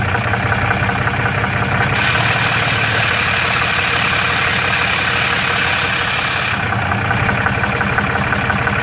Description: This is a normal but annoying noise some of the triple disc torque converter will produce. This is a Dodge Ram 6.7LCummins Diesel with a DPC triple disc torque converter.